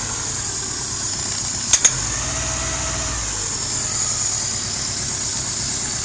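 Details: 2001 Hyundai Tiburon idling with a steady high-pitched hiss over a quiet petrol idle, a vacuum leak being located.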